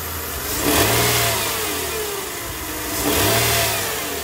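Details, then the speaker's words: Mercedes-Benz ML350 after replacing the belt tensioner pulley, whose noise was worst at high revs on cold start. Two smooth blips from idle with no whine; the noise is gone and revving is normal. "noise is totally gone now there we go it'll sound even better when it's on a on a lower idle"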